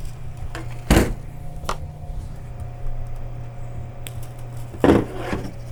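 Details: Tevo Tornado 3D printer rebuilt with MKS-Robin board and TMC2209 drivers: steady low hum from the fan underneath dominates, faint motor whir and a couple of light knocks as axes move; quiet, healthy stepper motion.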